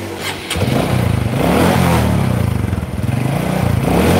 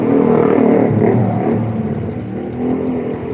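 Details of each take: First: Honda Karisma motorcycle with no power, just started and still cold: engine stumbles and surges when revved and dies if throttle is opened fast, needing gentle throttle and warm-up. Cause not yet found. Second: Honda Karisma motorcycle after the repair for lack of power: engine revs up cleanly and settles back to an even, steady idle with no misses, running normally.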